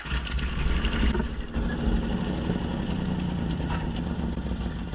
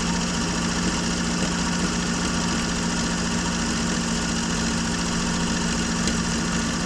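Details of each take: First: 1965 Jeep Wagoneer 3.8 L 230 cu in overhead-cam original engine, first start after 20 years sitting, with points gapped and valves set but needing one more adjustment. It catches and settles into a low, slightly uneven, rough idle. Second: Normal idle of a 1965 Jeep Wagoneer original 3.8 L 230 cu in overhead-cam six, first run after 20 years sitting, following valve setting and an earlier flooded carburettor: steady, even hum with a low drone, no knocks or stumbles.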